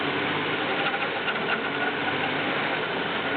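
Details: BMW E36 318is, M44B19 engine, cold start. Thin metallic clatter over an unsettled idle that rises from 1000 to 1500 rpm and drops back repeatedly. Metallic noise at idle, cause unknown.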